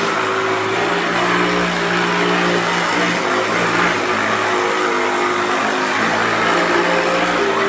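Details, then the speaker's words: 1994 Hoover Turbopower 2 Autosense U2462 upright vacuum, tested with a belt borrowed from another machine despite being listed as good working order: steady loud drone with a coarse, uneven edge over the motor whine; runs rough, cause not pinned down. "I've managed to get a belt off another machine to test this one out. This is the autosense. Thunder it rough, doesn't it?"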